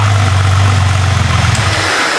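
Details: Salvaged wrecked two-wheel-drive Jeep Cherokee with an engine labeled bad, running hot at idle: a firm, even low hum with a steady beat and no knocking. The owner calls any slight rattle normal; the engine sounds healthy.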